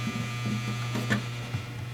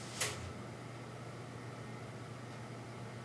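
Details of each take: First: Electric faux fireplace in a hearth: steady low buzz as the small flame-effect motor shakes the bare sheet-metal case, unchanged after pressing on parts and moving it; taken apart to find the source. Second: Electric faux fireplace after the fan motor was lifted off the sheet metal on heat-resistant strips placed at its three fasteners: quiet, steady low hum from the motor itself, with no rattle or buzz.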